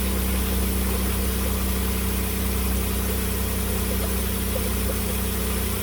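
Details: 2008 Dodge Caravan 3.8 L after overheating and replacing a broken coolant hose connector, with heater on: even, steady smooth idle, no misses or knocks, no white smoke; normal idle after repair.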